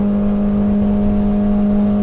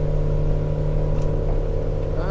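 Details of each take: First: 2010 Arima Sea Ranger 19 with Yamaha 90HP outboard (about 900 hours), full throttle at 31.6–32 mph while trimming up: steady high flat drone pinned, engine hitting the rev limiter, driver backs off slightly without losing speed. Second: 2010 Arima Sea Ranger 19 with a Yamaha 90HP outboard, about 900 hours, cruising on plane at about 3,000 RPM and 22.8. Steady, even mid-rev drone with a smooth low hum and water rush. Normal healthy cruise.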